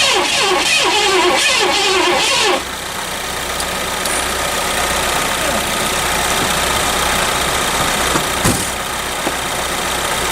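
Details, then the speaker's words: 1984 Lincoln Continental after sitting all winter, full tank, jumper cables on new battery: starter churns about 3 beats/s for two seconds and quits without firing; negative battery terminal was loose, then tightened. "I mean, that sounded like she was trying to. Yep. No, the negative terminal isn't."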